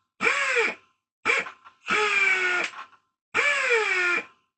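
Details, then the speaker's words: Old Atlas Copco air-powered hoist after repair of air leaks: four short air-motor bursts with a falling whir as each lift stops, clean and even, no hissing leaks, faster than before. Normal operation. "yeah you see it works just fine"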